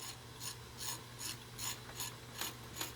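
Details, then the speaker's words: Rebuilt piston-style hydraulic pump from a 1964 Ford 4000 tractor, on the bench after gear and wobble shaft installation; shaft spun by hand gives light regular clicks about two and a half per second; normal pumping. "just give it a spin check you should be able to hear it pumping"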